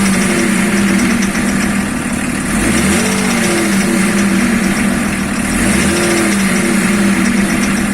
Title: Стук двигателя БМВ е-34